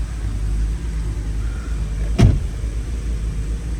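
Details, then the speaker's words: BMW E90 325i N52 inline-six idling while warming up just after fitting new spark plugs and coil packs: uneven, lumpy beat with a sharp stumble; misfire milder than before but persisting, cause not yet found. "So as you guys can see, the car is still misfiring. However, the misfire is not as violent as before."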